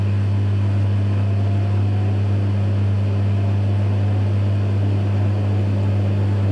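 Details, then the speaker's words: Electrolux EWF 16589 W washer on a 60 °C cotton cycle, after a spin with noisy bearings. The drain pump gives a steady low hum that never shuts off, sounds unhealthy and keeps pumping out water. "pump sounds very unhealthy. Now it keeps putting out more water."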